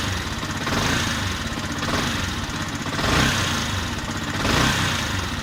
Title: Yamaha yzf r125 ticking sound, is it camshaft?